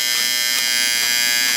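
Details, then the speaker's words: Late-1960s/early-1970s Sankyo Seiki mechanical digital rolling clock. The alarm buzzer doesn't shut off, so it must be manually reset. A high, harsh electric buzz continuing without break or fading. Normal alarm buzzer. "No, it doesn't shut off. No, not no way, not no how, so. Okay. So it has to be manually reset."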